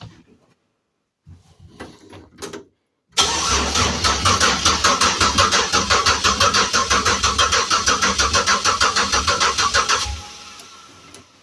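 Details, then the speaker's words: Project vehicle (named Phoenix) freshly wired with oil just added; PCV valve, MAP sensor and fuel pump not yet connected; steady starter cranking about three compression pulses a second for seven seconds to prime oil, never firing. "Sure sounds like it's going to run to me. But I still got to hook the transmission lines up."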